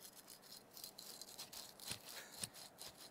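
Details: Yamaha YXZ1000R engine bearing spun by hand during a bottom-end rebuild, with rust found low in the engine; dry gritty rattle with uneven scratchy bursts instead of a smooth quiet spin, a rough worn bearing to be pressed out.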